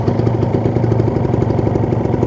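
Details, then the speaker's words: Kawasaki Ninja 150 RR two-stroke, rarely used, idling at about 1000 rpm, original exhaust: crisp, even rapid putter with no knocks or misses; engine sounds calm, oil circulation (2T and engine oil) smooth. "adalah suara mesinnya suaranya masih Oh ya terdengar jelas suaranya masih adem sirkulasi oli lancar oli samping oli mesin"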